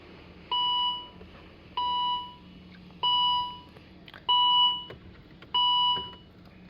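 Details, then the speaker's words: 2012 Volvo XC60 with no crank, no start: five clean fading chimes about 1.25 s apart, with many warnings and no scanner communication. The cause was a faulty power steering control module at the right front inside the bumper; unplugging it fixed it. "This car, my problem is the power steering control module. It's in the right front inside the bumper."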